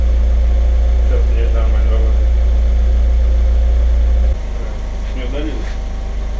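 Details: Audi TT with owner-rebuilt engine, after replacing spark plugs on two dead cylinders that had caused a knock: steady, even low idle with smooth regular pulse, no knock, settling a little quieter partway; engine sounds healthy.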